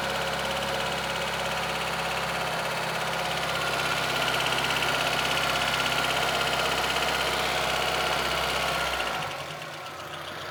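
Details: VAZ 2114 petrol engine at idle: steady light tapping about three per second over the running note before it drops away; knock from an unknown source, owner asks what is knocking.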